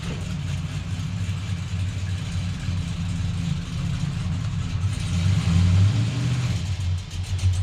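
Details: Blazer ("Assblazer") after transmission repair and tune, running normally: low steady engine rumble swelling smoothly as revs rise, no knocks, slips or clunks; test drive afterward, feels fast.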